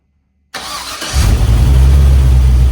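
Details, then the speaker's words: 1967 Chevrolet C10 with an LS swap, once plugged with dirty fuel injectors. After new fuel lines, at about 160° running temperature, it starts cleanly into a deep, steady V8 idle with no stumble and no fuel leaks. A MAP sensor code still persists. "All right, brain's running. No fuel leaks."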